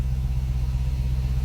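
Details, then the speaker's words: 2016 Dodge Charger V8, first start after the repairs with new headers: deep, even rumble with a steady beat and no ticks or knocks, a little smoke from oil burning off the headers; a normal, healthy idle. "so here you go he's running it sounds good the bad F's working oh yeah boy but she sounds good"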